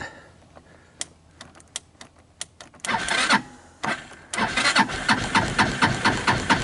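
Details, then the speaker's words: 2014 Linhai Big Horn 400 UTV that died on its first outing, cranking on a cold evening after a shot of starting fluid; even compression pulses about twice a second but it never fires. Owner suspects the spark is jumping over the side. "I gave it a who to starting fluid it didn't even try to start you can hear it sounds like it's got compression I'm thinking the spark jumped over the side"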